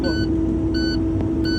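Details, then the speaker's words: Idling truck building air pressure: high electronic beep of the low air pressure warning buzzer repeating until about 60 PSI, when tanks are roughly half full; tanks take about 120 PSI, needed before moving the truck. "So around 60 PSI, the warning buzzer go off because you've got half air."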